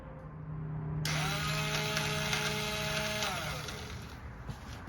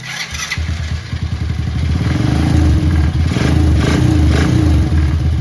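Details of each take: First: ATV starter pressed after rewiring: a light, high-pitched whir spins up for about two seconds and winds down with no engine cranking. The starter chain inside the starter cover is broken, which sounds much like a broken timing chain. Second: ATV after replacing the starter chain and the tension guides (it had made a weird winding noise before): foot on the brake, a short crank catches quickly into an even, rapid putter. Clean start and healthy idle.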